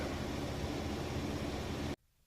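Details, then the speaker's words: Maytag Bravos XL high-efficiency washer, final spin with the lid locked: a smooth, even whooshing hum with no knocks or rubbing, then a clean stop. Normal, balanced spin. "I think it's important to see the spin cycle in action and of course this is locked you cannot open that"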